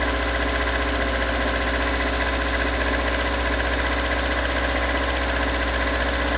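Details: Stock bigport 4AGE in Toyota AE86, about 195,000 km on replaced cluster, cold start: uneven idle with faint irregular knock about three per second over the hum; cause not located.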